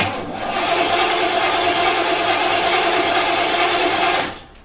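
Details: Olds 350 with RV cam, Edelbrock Performer intake, HEI, new Street Demon 625 cfm carburetor replacing a leaking QJet, cold start after two weeks sitting: cranks, fires and runs about four seconds, rough but no knocking.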